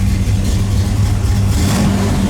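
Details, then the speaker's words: 1973 Camaro Z28 RS V8 after roller rocker install: deep rumble rising smoothly on throttle blip with a slight crackle and individual cylinders audible, no ticking or misfire; normal revving. "You hear that nice little crackle? That's what you like to hear. You can hear the individual cylinders firing."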